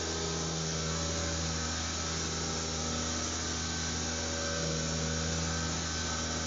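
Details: mCP X micro helicopter with skids reattached by blue tack, in flight: loud steady whine with a coarse buzzing rattle about four times a second as it wobbles; something loose in the rotor head suspected, not confirmed.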